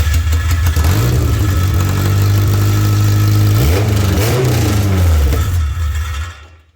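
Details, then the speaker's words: K24-swapped Toyota MR2 after a corroded fuel pump was replaced and bad fuel drained: it catches and revs briefly, the hum rising then sagging before it dies. Gummed injectors are suspected. "acts like it wants to start one of those injectors are kind of gummed up"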